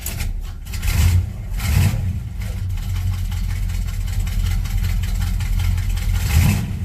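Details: Monte Carlo cold start, idling before fuel filter change: low note surges and sags unevenly, won't settle; owner suspects fuel filter clogged by debris from dropping the tank, or failing fuel pump.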